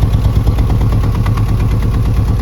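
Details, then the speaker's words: Ford Fiesta 1.6 with P0301/P0303 misfire codes from a failed ignition coil output terminal, before repair, heard at the exhaust: uneven, lumpy puffing at idle with a regular stumble, an unstable engine that won't accelerate well. "We are going to listen to the exhaust first, we listen to it. in the exhaust here you can hear"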